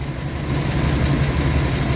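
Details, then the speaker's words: 1996 or 1997 K1500 V8 truck after replacing bad crank sensor that dropped out causing stalling and crank no-start, new pigtail fitted; oil leaks suspected of killing old sensor. Low, smooth, steady idle. Normal idle. "The prior crank sensor was bad. It had never run as long as it's going to run in this video."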